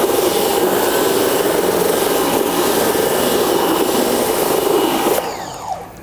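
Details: Nilfisk C110 (Compact 110.3) pressure washer cleaning a dirty deck with its rotating patio and decking cleaner attachment: steady even rush of spray with a smooth rotary whir, no surging or stutter, then a clean shut-off; running normally.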